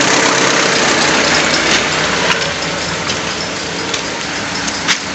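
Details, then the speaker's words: 2001 Honda Civic at idle with a loose engine coolant temperature sensor connector (code P0118): idle mostly steady but stumbles with sharp irregular pops when the plug is disturbed, a misfire from the loose sensor connector. "É aquele conector inho lá eu vou est dando um jeito de prender ele Você viu que depois que eu não tirei o carro começou a falhar"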